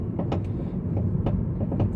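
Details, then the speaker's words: 2014 Honda Civic (9th generation, 2013 build), driving: sharp irregular knocks over bumps above low road rumble from the front right suspension, which began 20 days after purchase; loose front suspension components, not yet disassembled. "Então, pode ver que o barulho é muito alto, né?"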